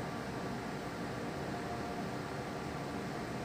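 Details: Desktop PC that had no display and beep codes, powered on after reseating the component: only a steady soft fan rush with no beeps; booting normally, problem fixed.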